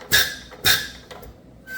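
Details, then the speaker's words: Hyster R80 forklift diesel injector on a pop tester after nozzle adjustment (about a quarter turn): opens right at 3,000 PSI with two sharp hissing buzzes and crisp, good chatter; normal injector chatter, though the nozzle leaks and is worn, so it will be smoky. "Right on 30,000. It starts to open. It's got good chatter to it."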